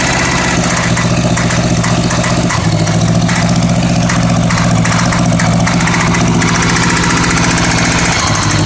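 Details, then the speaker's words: Honda Goldwing GL1100 flat-four idling during plug-wire pulls (No. 3 stalls it, No. 2 makes no change, smoke only from the right side): an uneven metallic rattle riding over the beat, coming and going. Source not pinned down. "That went away for a while, then come back. That rattle."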